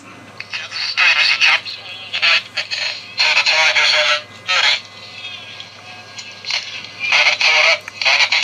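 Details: Transistor radio from a junk auction box, tuned to a reasonably strong station: choppy, harsh, rasping distorted bursts with no clean tone; suspected failing electrolytic capacitors (non-polarized electrolytic among three), later replaced, 50µF swapped for 47µF.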